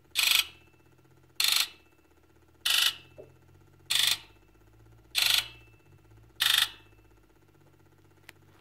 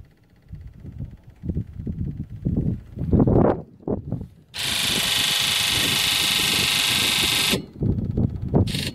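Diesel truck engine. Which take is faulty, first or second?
second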